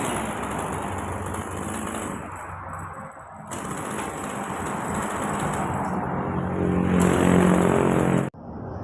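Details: Old Japanese Maruyama two-stroke chainsaw, previously stumbling and dying when revved hot, after replacing carburetor pump diaphragm and gasket set; picks up cleanly when revved and settles back without stumbling or dying; healthy.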